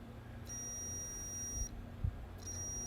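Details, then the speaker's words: Kawasaki KE100 brake-light switch off the handlebar, tested for continuity before installing: high steady beep twice, about two seconds each, as the circuit closes; switch working beautifully. "Okay, right now you hear that? It's working beautifully."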